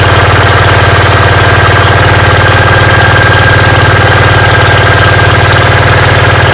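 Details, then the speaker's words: Gravely 5665 running on newly installed Chinese carburetor, mixture screws at 1.5 turns, air cleaner fitted, unloaded: even steady single-cylinder beat with regular firing, no misses or knocks; runs cleanly, load test still pending. "oh sweet that ran like a champ obviously I got to put it under some load and see how it does then but that sounded that sounded perfect"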